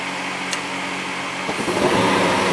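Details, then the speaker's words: Old Goodman gas furnace on a no-heat call: steady fan hiss, then soft whoosh as burners catch and settle into an even roar; lighting and firing normally. "houston we have ignition there we go"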